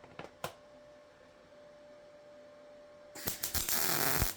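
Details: Beginner's first practice welding: quiet hum, then over a second of sharp irregular crackling and popping as the arc runs, a slightly spattery weld.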